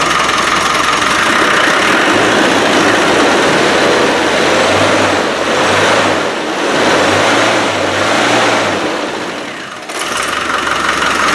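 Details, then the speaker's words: Rebuilt Land Rover 300Tdi diesel after fuel problems: runs strong and even with a few throttle blips, no stumbling or dying, fuel now getting through. "i've got a feeling we might have a bit of success we have got success let me put that pipe back on okay that's what it should do"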